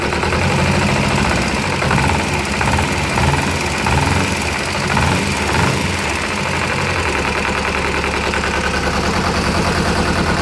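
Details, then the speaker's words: Kawasaki ZZR250 idling after the clutch basket was rebuilt with new bushes: a steady, even idle with no clutch knock at tick over, which used to knock before the repair. The clutch now feels tight, possibly from bigger springs. "Listen to that. Normally that tick over it would be knocking."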